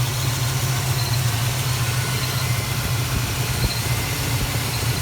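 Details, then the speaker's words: Plymouth Duster with Holley carburetor before repair, stalling in gear; loose, slightly uneven rich idle of about 86 beats a minute that runs better with mixture screws fully closed; owner suspects a broken power valve dumping raw fuel, unconfirmed. "what i think it is is i think it has a broken power valve which means it's basically dumping raw fuel into the car in an idle"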